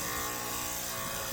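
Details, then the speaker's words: Cimbali M20 Junior espresso machine, tanks full, heater disconnected, dose button pressed: vibration pump gives a steady, unchanging loud buzz but doser level doesn't drop and no water leaves the group head; pump running dry, not primed. "so that's the water trying to pump, but it's not coming out of the group head. I don't see any water coming out of the group head."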